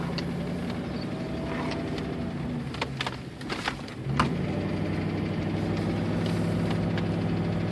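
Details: 1999 Ford Crown Victoria Police Interceptor V8 with low oil, noise began a day after a catalytic converter check engine light: harsh at start, then a rhythmic tapping that is loudest at high rpm. The cause is unconfirmed; the owner plans an oil change.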